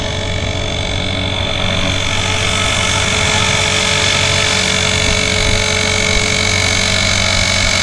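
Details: Blade 360 Fusion RC helicopter in flight: steady high rotor whir with a coarse rasping grind at constant speed, caused by sand in the spur gear.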